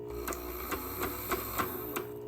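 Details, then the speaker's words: On30 model steam locomotive on HO gauge track, DC controller: light motor whir broken by sharp uneven clicks about three a second; a pickup wiper is caught in a wheel spoke, jamming the gears, with wipers misplaced and needing realignment. "okay I don't think it's as bad as I thought I've got a wiper stuck in the spoke which would explain that"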